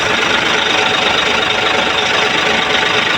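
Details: Hino 700 truck diesel that cranked but would not start, after bleeding the feed pump: steady, loud idle with even clatter at constant pitch and no misses; normal idle.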